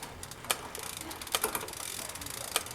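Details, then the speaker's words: Quiet Cat e-bike rear derailleur after indexing adjustment, a final quarter turn clockwise to loosen tension: soft, even freewheel ticking with crisp single clicks as the chain steps cleanly up and down cog to cog; quiet, normal shifting. "So as you can see, we've adjusted the derailleur here to smoothly index from cog to cog. It's not making much noise, and it's jumping right up into the next cog and right down into the next cog."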